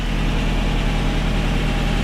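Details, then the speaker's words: Original one-owner 1980 Datsun 200SX, 5-speed manual, 113,272 miles, revived after sitting about 5 years: steady even warm four-cylinder idle with no misses, ticks or knocks; temperature good, running better the longer it runs. "Yeah, it sounds like we're running pretty good here. Temperature is doing great. The more it runs, the better it's running, actually."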